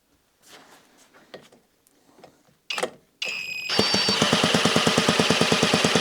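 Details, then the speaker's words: Cyclemaster Rabeneick in-wheel two-stroke, freshly rebuilt after a barrel/piston ring problem, spun with a drill on a heavy premix, no exhaust fitted: catches and runs with loud, crisp, rapid even popping. Normal start and run. "It will be a bit loud because there's no exhaust on, and hopefully it will fire."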